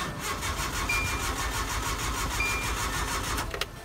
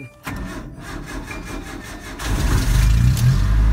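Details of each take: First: Truck that sputtered and died while driving at night: steady starter cranking about three turns a second with no firing; no spark first suspected, but it was out of fuel and started after gas was added and primed. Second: Truck that would not start, with the distributor suspected; it was actually out of fuel because of a broken gas gauge, and was refuelled and primed: cranks briefly, catches quickly and settles into a steady, even idle.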